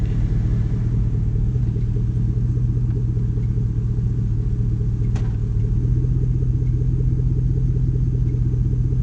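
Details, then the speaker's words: Cadillac Escalade stock 5.3 LS V8 at idle in gear: steady, even rumble with no rev dip or stumble; previously dipped low when put in gear. "so when I used to put it in gear they used to really dip low so let me see if you can see it I must shut off the heat"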